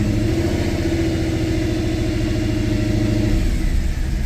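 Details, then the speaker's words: 2010 Mercedes E63 AMG, M156 6.2 L V8, codes just cleared, held at 1500–2000 rpm: uneven, stumbling exhaust beat and check engine light returns; likely still misfiring on bank 1 despite coils and plugs done; owner plans to swap injectors. "But my guess is we're still misfiring on those cylinders on bank 1."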